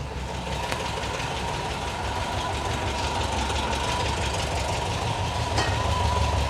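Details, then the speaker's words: Cold start and idle of a 1972 VW Bus after fitting a new 38mm carburetor, following fuel found in the crankcase; even low thrum rising slightly as it settles, only a faint light tick, less ticky than before. Valvetrain sounds fine, normal cold idle. "yeah it's less Ticky all right like I said let me uh raise the idle all right I'm just going to let her Cho like this for a little bit and I'll get back to"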